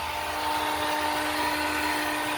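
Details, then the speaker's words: 2019 Honda Civic Sport CVT, engine switched off: steady loud high-pitched electric whine from under the hood, not the fan. Owner suspects the starter stays engaged, relay or starter unknown; burning smell followed. "Oh, that ain't the fan. That is something else. I think that's the starter."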